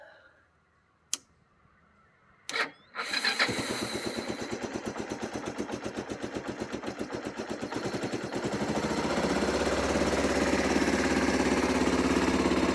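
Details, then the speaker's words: 1995 Kawasaki Bayou 300 4x4 ATV in neutral, owner suspects low gas, choke on: clicks and cranking, then it catches into an uneven putter that slowly picks up speed; a slow, struggling start. "anyway it runs I probably these gas cuz I know the gas was getting low and try it again"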